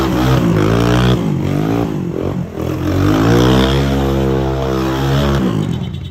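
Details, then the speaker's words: 1984 Honda ATC 200 three-wheeler, air-cooled single started after a full service with fresh engine and final drive oil and a brand new spark plug; revs up and down smoothly with no knocks or rattles, normal healthy revving. "So now it's moment of truth. Let me try to start it up. Okay, make sure it's running. So it's running."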